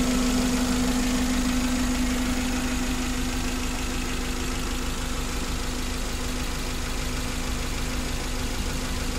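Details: Suzuki Carry 1.5 injection that had overheated and lost its radiator coolant, with a corroded aluminium block: steady, even idle with smooth low rumble, no knocks or misses; temperature needle stays normal.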